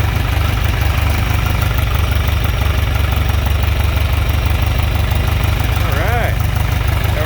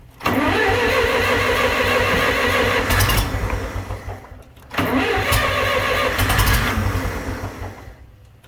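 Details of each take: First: John Deere 3020 LP with new head, LP system fixed without new parts, choke fully in, still running on vapor, not fully warmed: deep, steady low thump about three beats a second, responsive, no misses or knocks; normal idle. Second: John Deere 3020 LP tractor with new head, batteries good: three brisk, even four-second cranking bursts that never catch; no start.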